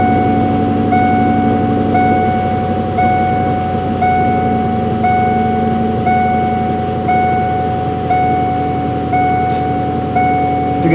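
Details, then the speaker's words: 1998 Mustang GT, 132k miles, PI heads, FRPP shorty headers, cold start after sitting: fast light ticking over a slightly lumpy cold idle; owner suspects a header exhaust leak, with exhaust smell on startup. "bit of an exhaust smell on startup but i think that's that's just the header leak kind of here tapping tapping so"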